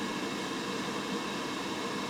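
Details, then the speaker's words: Laser engraver fume extraction with an inline fan: smooth, even rush of air with no rattle or pulsing; the sound changes when the extra extraction is turned on. "Let's uh go ahead and turn the laser back on and let's turn on our extra extraction and right away you can hear there is a a difference in the sound let's see what difference we get here"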